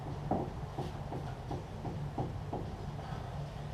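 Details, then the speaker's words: Datsun 1200 front end with sloppy steering: dull clunk each time the wheel is rocked, about two a second, slack felt in front; suspected looseness up in the steering, later addressed with idler arm bush replacement. "So I can feel the bearing. It's slack. You can hear it"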